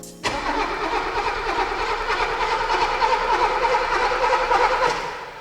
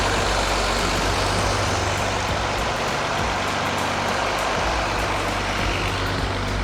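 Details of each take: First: 1983 Mercedes-Benz W126 280SE, stored 10 years in a barn, on a borrowed battery, first start attempt: starter churns steadily for several seconds but the engine never fires. No spark, broken distributor lead. Crank no start. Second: 1983 Mercedes-Benz W126 280SE inline six, 10 years in a barn, running: steady even note with a low firm hum and no misses or knocks. Early RPM dips gone; it sounds like a diesel. Normal running.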